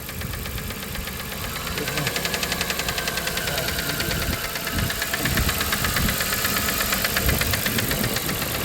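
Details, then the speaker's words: 1997 Dodge Caravan LE with bottom-end noise, idling with one plug wire off (running on five cylinders): quick light ticking keeping pace with the engine over slightly uneven idle; sounds like top-end valvetrain tick, cause suspected not confirmed. "that sounds like that sounds like top end now"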